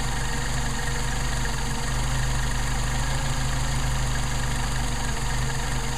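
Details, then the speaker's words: Mercedes 190SL with rebuilt Solex carburetors, warmed up, idle mixture screw turned in until engine stumbles to find midpoint: low idle with uneven lumpy beat and worsening stumbles from too-far mixture setting. "you hear it stumbling hear it getting worse uh that's give you an idea how it sounds it gets worse but you don't get to that point"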